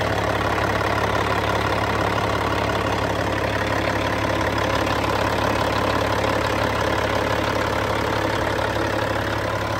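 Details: Cat C15 diesel, serial BXS25611, 900,206 km, 23,916 hours: steady, even idle with smooth low rumble and no knocks or misses; engine sounds healthy.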